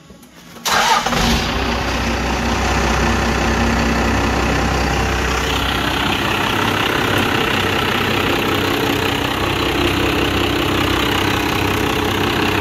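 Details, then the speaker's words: 12-valve Cummins diesel dually after fuel pump failure, overflow valve replaced and loose fitting tightened: quick crank, catches at once, steady even idle clatter with no misses; no leaks, healthy start, fuel pressure reading only five. "leaks sounds good"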